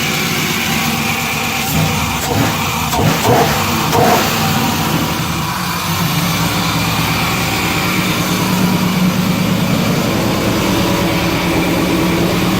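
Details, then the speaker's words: LS V8-swapped Toyota pickup, first run after corrupt ECU file fixed and new fuel sending unit fitted: a few throttle blips then steady even idle, no misfire or knock; Toyota buzzer audible. "so yeah that's that it runs next step is to make sure it drives down the street"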